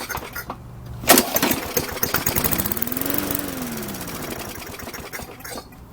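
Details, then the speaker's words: Old lawn mower engine run before postmortem disassembly: it pops into life, revs with a smooth rising note and settles without misses or knocks. A healthy-sounding engine. "Sounds like another good one. I guess the question is it worth saving it?"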